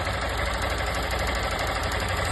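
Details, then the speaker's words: 160 motorcycle engine at idle: a fine, even buzzing rattle that sounds like a valve or engine knock comes from a loose ignition coil vibrating; touching the coil stops the noise. "Só a bobina folgada. Trisquei aqui na bobina, parou barulho. Tirei barulho, volta de novo."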